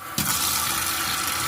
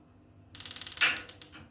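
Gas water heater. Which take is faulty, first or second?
first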